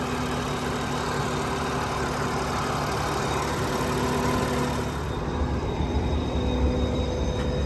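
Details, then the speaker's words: 2015 BMW M4 F83 convertible, S55 engine, about 64,000–65,000 miles, idling in Drive under load: a faint steady howl from the engine bay, quieter for now. Cause: a bad crankcase vent valve in the valve cover; the valve cover was replaced. "it's not as loud right now but it gets"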